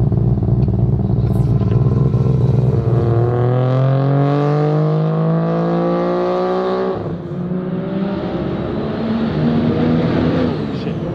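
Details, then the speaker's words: Untuned street-port RX7 rotary on a low-boost street pull: note climbs hard under load, then goes ragged and falls off; breaks up around 4,000 rpm, cause unknown, awaiting dyno tuning. "like i said there's a big issue with it about 4 000 rpm it starts breaking up"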